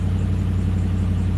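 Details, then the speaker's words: Truck with a deep, loud, lumpy idle that sounds terrible, as if a cylinder keeps dropping out; scanner reports a cylinder 7 misfire with no check engine light lit, owner suspects a coil. "She works, but she sounds terrible. Sounds terrible. Super super super terrible."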